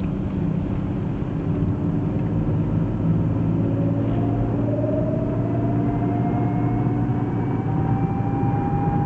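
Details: BMW E36 automatic driven cold, after ATF refill: thin whine rising in pitch with road speed over drivetrain rumble; first blamed on the gearbox, actually a failing nearly new (under 6 months) SWAG driveshaft center bearing.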